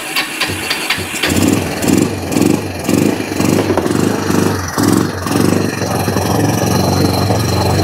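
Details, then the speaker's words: Kawasaki Bayou 300 ATV single with aftermarket carburetor, parked two years: surges unevenly in lumpy bursts about twice a second, hunting at idle; rough running, suspected intake silicone leak or sticky intake valve. "I'm gonna turn this knob down here to control the idle by the hair it ain't running good but it's running"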